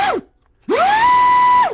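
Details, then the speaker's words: Brushless RC motor bench-tested with a car ESC on 3S: clean whine sweeps up fast, holds a steady high pitch without wobble or grinding, then winds down; the motor runs strong and healthy. "that sounds pretty good man and it's got a little cat pack on it and everything you know all right that's pretty cool"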